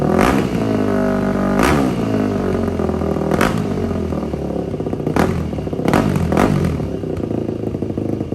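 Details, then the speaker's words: 2004 Yamaha WR450 after carburetor cleaning and valve adjustment, with restrictive exhaust insert removed: repeated blips with sharp rises and quick drops, open crisp bark without stumble; exhaust now flows freely. "Let's see what it sounds like now. Should sound like a real dirt bike now."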